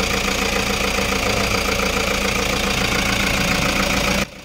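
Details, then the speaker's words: Toyota HiAce 3.0 diesel after the number 2 and 3 fuel injectors failed from very dirty diesel. Steady, even idle with a regular beat, vibration gone. Normal idle; injectors 1 and 4 are still being watched. "Wala na nga yung vibration niya mga boss matining na yung andar niya"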